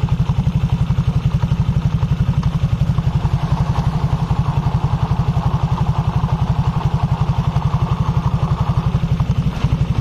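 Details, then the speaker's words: 2020 Honda Vario 150 scooter idling with rear wheel held still, exhaust covered: deep even rumble pulsing about four times a second from the CVT driven pulley bearings, disappearing when the wheel turns. "Ini masalah sepele yang bunyi dari sini dari bimbel dan yang bunyi suara gemuruh ya gemuruh saat roda diam mesin menyala otomatis sekunder ini berputar berarti bearing pressan dan bearing bambu ini sedang berfungsi"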